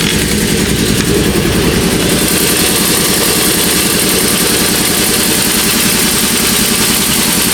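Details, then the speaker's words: New E-Max (Eaton) shop air compressor, replacing a 30-year-old unit, running inside its enclosure, which muffles it: a steady, even hum and hiss with no knocks or surges; quiet, normal running. "If you listen carefully, it's pretty quiet right now. That's the noise. Pretty good. Somewhat muffled by this giant house I built."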